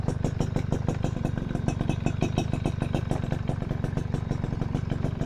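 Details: Suzuki RC100 two-stroke motorcycle at idle: crisp, even popping, steady rhythm, no knocks or rattles, engine still runs well; normal idle.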